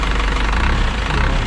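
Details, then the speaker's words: 2000 Isuzu NPR turbo diesel, abandoned truck restarted after a year with new batteries, nothing leaking: steady, even diesel clatter at idle with a deep, smooth rumble and no misses or odd knocks; normal diesel idle. "that all looks good like i said the motor sounds really good"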